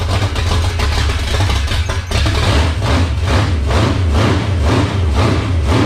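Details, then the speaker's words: 1978 Dodge D-series Warlock truck with a 360 small-block stroker, first cold start in the truck, no choke, last run on a dyno. The big V8 lopes slowly and unevenly, close to stalling, and the idle needs turning up. "oh i think it's idling a little low i'm gonna turn that up a touch"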